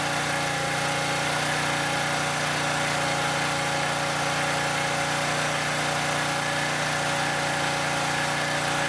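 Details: Southland lawn edger that wouldn't start even after new spark plug: even, buzzy small-engine drone holding a steady pitch with no surging or sputter; idling cleanly.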